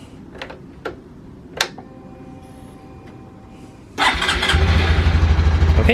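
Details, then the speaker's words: Honda Super Cub C125 after spark plug inspection and replacement: quiet clicks, catches in about four seconds and settles into an even single-cylinder idle; runs normally. "and it runs fine and stuff is falling off my bike because if i raise so much"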